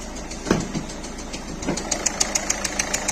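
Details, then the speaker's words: Peugeot 3008 1.6 eHDi 112 hp diesel at idle, smoke and exhaust escaping under the bonnet, worse when driving: sharp, regular chuff-tick about three per second over the clatter; compression leak, suspected leaking injector seals. "Quand on roule, c'est pire. Alors là, on sent bien que c'est une pression qui s'échappe."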